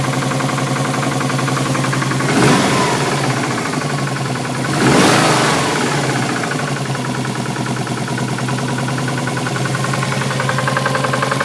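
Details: Subaru Impreza boxer engine idling with a steady rhythmic knock about four per second that persists through two brief revs. The cause was found but is not stated.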